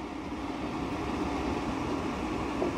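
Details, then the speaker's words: New 100 CFM bathroom extractor fan on a bench: steady airy whoosh with low hum that speeds up and gets louder with a hand over the discharge, from back pressure of the restricted outlet. "look at this you hear that again it's accelerating because i have my hand over the exhaust the discharge of the fan because this is because it has black back pressure"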